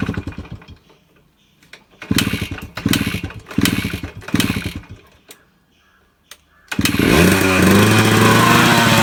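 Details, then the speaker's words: 2001 Suzuki Samurai two-stroke motorcycle, cold start with oil premixed in petrol (oil tank not working), plugs fine: several sputtering kick attempts, then it catches and settles into a steady even buzzing idle; normal running. "നമ്മുടെ Suzuki samurai 2001 model വണ്ടിയാണിത് ഇത് start ആയിട്ടുണ്ട് ഏകദേശം"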